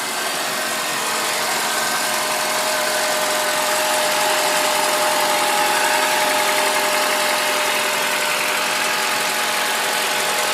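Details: Honda Accord at steady idle with a fast, light ticking about three or four per second and a thin whistle on top; abnormal engine noise, source unclear.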